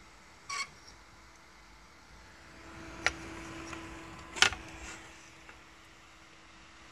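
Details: New replacement 3-pin main fan on a graphics card, tested out of the box on a 12 V adapter, gives a quiet, even whir with a faint steady tone and no body hum, apart from a few handling clicks.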